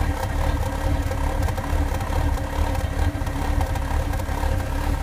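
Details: 1996 MGF 1.8 MPI with a low, irregular, hunting idle thump; new intake gasket, IACV, rotor, cap and HT leads did not help; cause was the ECU vacuum pipe hanging off, and reconnecting it made the engine run perfectly.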